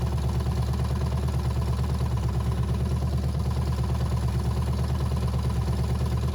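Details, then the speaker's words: Abandoned 350 small-block V8 from a 1985 GMC K5 Jimmy, first run after sitting for years, briefly run due to a gas leak: low, even idle rumble with no lifter ticking or knocking. "then it didn't sound like any of the lifters were knocking or anything I was trying not to run it too long"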